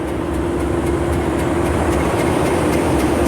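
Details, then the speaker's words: Class 37 diesel locomotive 025 (V12) just after climbing a hill with 450 tons on the hook: heavy drone with faint uneven ticking about four per second, out of tune; crew unsure if misfiring, uneven running. "But as I leave the carriage, I can feel the beautiful song from 025 sounds a bit out of tune."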